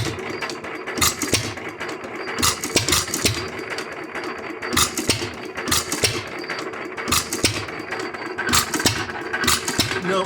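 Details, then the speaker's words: Lauson 2hp hit-or-miss engine after cam gear replacement, mixture being leaned: uneven sharp pops with irregular gaps, firing twice in a row (double sucking); mixture too lean, being richened back. "oh there I started to double suck yep I just riching it back up a little double sucking is"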